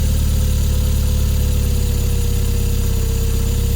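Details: Toyota MR2 3S-GTE petrol engine at idle with a light, somewhat uneven clicking about twice per second; source unknown.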